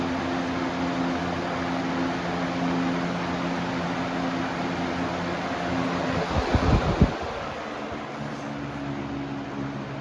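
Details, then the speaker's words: Lasko PSC capacitor box fan motor with a cheaper, flimsier blade set: smooth steady whoosh of air with low even hum, no rattle or scrape; runs normally, outperforming the shaded-pole McMillan motor with these blades. "Well, all right. Now, we're testing the PSC motor. Look at that. It's more powerful."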